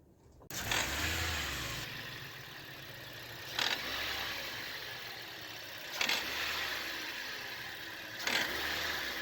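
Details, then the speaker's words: Toyota Yaris (Pakistani model), just after starting: harsh rattling rasp surging with each throttle blip; the part visibly vibrates with the noise. Removed part is the auto adjuster/belt tensioner, found worn. "तो आवाज़ आपने सुन ली है और ये सामने आपके पुर्जा जो है ना ये देखें आवाज़ के साथ वाइब्रेट करता हुआ भी नज़र आ रहा होगा।"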